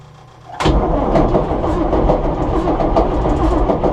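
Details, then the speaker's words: John Deere 6600 combine diesel, first start of day: settles to idle with irregular sharp knocks over the rumble, idler pulley hitting the ground because the belt is too stretched; new spring fitted, new belt ordered. "Knocking you're hearing is that pulley hitting the ground. Put a new spring on it. The belt's too stretched."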